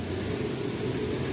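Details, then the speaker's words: Mitsubishi Pajero Sport diesel with jerking, RPM fluctuation, check light on and camshaft position sensor code P0341: flat, muddy drone that won't climb when throttle is applied; engine hesitates and won't rev up. "ये देखो accelerator देने के बाद accelerator नहीं बढ़ पा रहा है। जैसा बढ़ना चाहिए उस तरीके से एक्सलरेटर नहीं आ रहा है और चेक लाइट लगी हुई है।"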